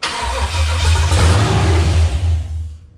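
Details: C10 truck with LS swap, first start attempt after priming the fuel pump: rough uneven cranking chuffs with a few firing pulses that never catch, then winds down; turns over and gets fire but won't run.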